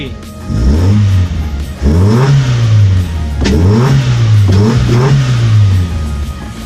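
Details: Toyota Paseo after water got into cylinder #1 and the spark plugs were removed and refitted: the engine revs up and settles back several times cleanly, with no misfire or stumble. On the road it pulls as it always did and runs fine.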